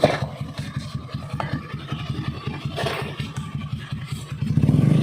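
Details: Honda Beat carburetor scooter running, rough uneven rattling grind ("ngerosok") from the CVT, rising toward the end.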